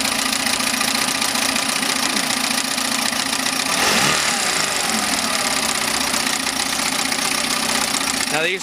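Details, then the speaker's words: 1971 Mercury outboard (listed as 7.5, also called 72 horse) revived after used coils, points ignition work, new water pump, cracked fuel pump housing and carb cleaning; first fire-up with cover off, pumping water, steady crisp fast idle with no misses; running good. "the motor from Hell runs good"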